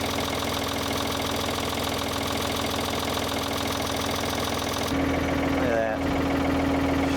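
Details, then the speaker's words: 1970s Ford 555 backhoe with rebuilt diesel engine, converted to a loader, idling at an even steady clatter with good oil pressure and no knocks on its first run since the backhoe was removed; normal idle. "Let's make sure there's nothing on this end of the operation. It looks good. These sound so good."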